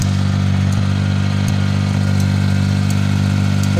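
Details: Suzuki mini pickup after a clogged fuel supply was cleared as a temporary fix: the small petrol engine holds a steady, even idle with light regular ticks and no stumbling; runs smoothly now.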